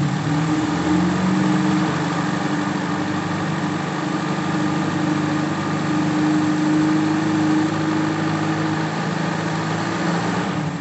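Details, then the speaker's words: Suzuki Feroza carbureted engine after carburetor vacuum hoses and power-jet hose were refitted: steady, even idle hum with no stumbles. It runs smoother than before; a slight lean hesitation at mid revs was noted earlier. "itu keluarnya lebih lebih halus dibandingkan dengan yang tadi"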